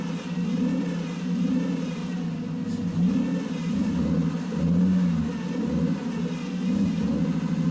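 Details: Mercedes first running on its own fuel after 13 years sitting, belt removed: fast, steady idle with an even low rumble that has not yet settled; idling high after revival.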